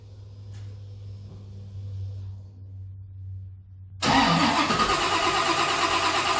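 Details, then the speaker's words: '55 Chevy, unstarted for days, cold shop, throttle blades fully closed pending throttle-position setup; quiet hum, then catches after about four seconds of cranking into loud rough run; owner suspects IAC opening to compensate, long cold-start cranking. "Okay, it started. It took a little bit of keying, but because I've got the throttle blades closed completely, I think it was opening the IAC to see if it could get it to open."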